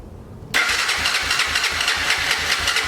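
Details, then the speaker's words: 2006 Honda TRX300EX four-wheeler, battery charged: starter spins the engine with an even chug of about four compression strokes a second but it never fires; turns over and seems to have compression, fuel system still needs going through. "Turns over. Sounds like it's got compression. So we know it turns over."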